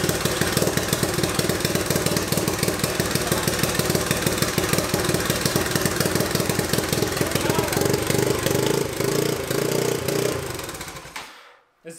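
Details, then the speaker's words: Turbocharged EFI 660 lawnmower engine on its first start, rough lumpy running with an unsteady beat before dying off; running rich from too much fuel, improving significantly as fuel pressure dropped. "too much fuel because as fuel pressure dropped there it got significantly better"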